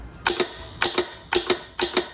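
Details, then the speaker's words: Promatic clay target machine solenoid release, tested by closing the roller switch and hitting disarm: four crisp double clicks about half a second apart; normal solenoid operation. "the first thing I'm going to do now is I'm going to actually see if the you know test the solenoid to see if it works"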